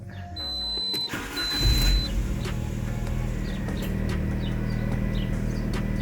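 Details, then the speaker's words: Alfa Romeo 147 1.6 Twin Spark that cut out in traffic and wouldn't start, after the crankshaft sensor fix: short crank, then it catches immediately and settles into a steady, even idle; normal start. "And there you go. The car starts up right away, which means that we solved our issue with the crankshaft sensor."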